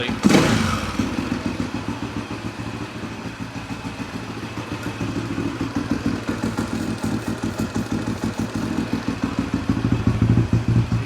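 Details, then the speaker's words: Husaberg 350 single-cylinder dirt bike, carb-to-airbox boot sealed with rubber sealant, adjustment turned slightly; carb cleaner sprayed around boot: idle holds even and steady, no stumble or speed change, so no intake leak. "No changing the idle. So I think that boot is fixed. So that's a good sign."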